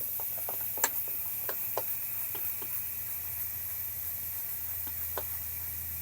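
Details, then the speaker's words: 1991 Big Cam Cummins NT 88 pressurized to about 15 psi with air compressor: soapy water crackling and fizzing at the leak over a low hum, aftercooler needs a new gasket kit; aftercooler air leak. "yep oh bummer so the after cooler is leaking can see it really good from there just pulling air right out of there"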